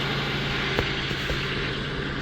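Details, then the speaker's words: LN3 3800 V6, on ramps, air-conditioning off: smooth steady idle hum with no knock or rattle; the clacking noise appears only at idle with AC on, later traced to a failing harmonic balancer (crank pulley). "So this is with just it running, no air conditioning on, no nothing."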